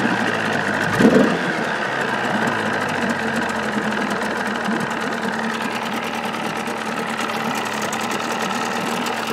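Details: 1979 Evinrude 35hp two-stroke outboard idling with sound-deadening insulation in hood, cover on: quiet, even, steady low drone, no knocks or misses; about 80–83 dB beside motor, 76 dB two feet back; normal idle.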